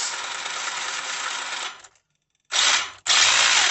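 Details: Tamiya DT02 Holiday Buggy, first power-up after swapping in a new ESC and a Speed Passion 7.5 brushless motor, no sensor cable: smooth high whir cuts out briefly and spins straight back up, even with no grinding; motor and controller working.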